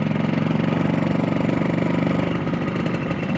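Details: Motorcycle that starts hard, dies when throttle is blipped, stumbles like fuel starvation near 80 and was unresolved after repeated shop visits: steady, even idle with regular low pulse, no knocks, misses or rattles; engine noise considered normal.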